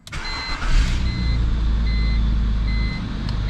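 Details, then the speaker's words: Cold start after sitting all day: 2004 BMW 325xi with replacement engine, new crankcase vent valve and valve cover after vacuum leak/oil burning; fires at once, settles to low even idle under repeating dash chime, no warning lights; normal cold start and idle. "starts right up runs great no warning lights so yeah turned out great actually it's a nice little car now"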